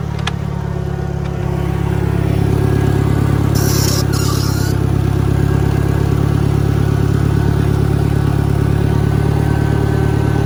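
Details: 1963 John Deere 1010 tractor, original and properly maintained, in third gear on a backyard lap; steady low drone with a soft, constant gear hum; normal transmission gear noise from a healthy gearbox.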